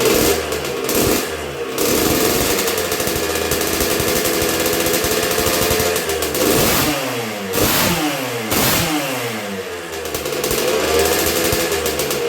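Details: 1986 Honda CR125R two-stroke on a break-in heat cycle after a new .060-over Wiseco piston top end: crisp buzz with light, barely-any-throttle blips rising and falling cleanly, engine picking up eagerly; healthy normal running.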